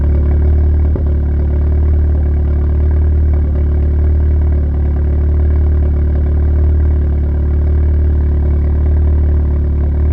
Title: Intake manifold misfire on idle